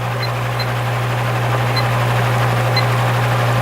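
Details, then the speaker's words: Repaired spare Marco motor from a Lasko/Galaxy box fan, running on low speed at about 1 amp and 80 watts: steady, even low hum with no rattle, scrape or wobble; runs normally. "Yeah, it runs just fine."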